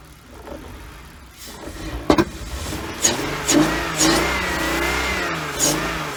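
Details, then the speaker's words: 1999 BMW 328i just after a new fuel pump, battery and air intake hose: catches after cranking, then surges unevenly with throttle blips and never reaches a steady idle. The owner suspects a missing cylinder or leftover bad fuel. "dude there you go it'll start it up it'll run it won't idle uh i got to keep the keep giving it the gas to keep it running so we either got a cylinder missing or we still got a bunch of bad fuel in there"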